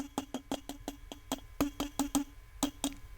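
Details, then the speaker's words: 12AX7 preamp test tube in a tube tester with the AGC on: each light tap sets off a short ringing ping, about four per second over a quiet background; a microphonic tube section. "this is where the micronics comes into play and you can hear it because this particular tube is one of my test tubes for"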